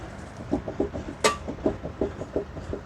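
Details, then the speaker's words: 2001 Chevy Suburban front end, wheel turned by hand: a string of dry, gritty crunches about three or four a second, uneven in strength; worn front hub bearing, with the rotor felt moving against the backing plate. "now that I'm not holding the camera and that you heard that crunching right and you can hear that"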